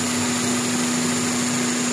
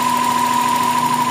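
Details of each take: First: GLI car engine at idle: constant drone with a thin whistle creeping in while the PCV valve is plugged in, the PCV valve possibly faulty and drawing strong crankcase vacuum; noise goes away when it is removed. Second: GLI car engine at idle after finding the faulty PCV valve: steady even idle with a clean hum, no knocks or ticks; the noise is gone.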